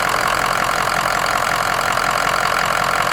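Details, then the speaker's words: Work truck engine idles steady and even with a smooth, regular beat and no knocks, misses or rattles; runs perfectly after the standpipes were changed; normal idle. "sounds perfect bro"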